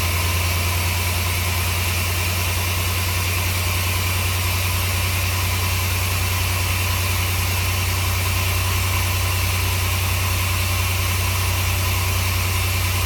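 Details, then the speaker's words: 1964 Willys CJ5 with re-done Chevy 4.3L V6 swap, first start after timing retarded, distributor possibly moving; idles loud with an uneven lumpy beat, one cylinder missing, suspected cylinder one; cause unconfirmed. "Uh, but it's missing. It's missing."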